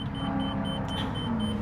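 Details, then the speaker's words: 2024 Renegade Verona 40VRB motorhome on Freightliner M2 106 chassis with 360 hp Cummins diesel: rapid steady high beep about four per second over low diesel idle, warning that the leveling jacks are deployed while ignition is on. "and you can hear you hear it beeping it's because I've Got My Jacks deployed right now"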